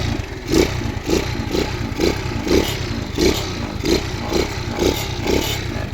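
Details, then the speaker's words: Gorilla-style small motorbike, original engine and exhaust, no hand clutch, steady idle with small even putters about two per second, no knocking or misses; quiet, smooth, starts easily first try: normal idle. "ปรับเครื่องเงียบๆเลยนะครับมันสตาร์ทมือเดียวถ่ายด้วยมันก็เลยไม่ถนัดนะครับปกติมันสตาร์ทง่ายนะครับสตาร์ททีเดียวก็ติดนะครับ"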